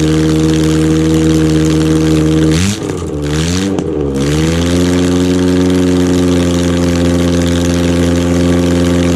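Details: Rebuilt Ford OHC Pinto 202-block engine (205 rods, thin-top-ring pistons) on chokeless test Weber 32/36 DGAV carb; steady idle, two quick clean throttle blips rising and falling smoothly, settling back evenly; healthy engine.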